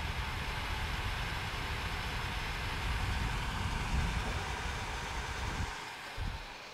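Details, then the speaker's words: Nova3D Fastcure2 resin curing station running in a quiet room: loud steady airy whoosh from fans with faint turntable motor hum, cutting off cleanly at the end; normal but loud fan and turntable motor noise. "that so as you can hear fans on this are really quite loud and so is the motor that turns the turntable"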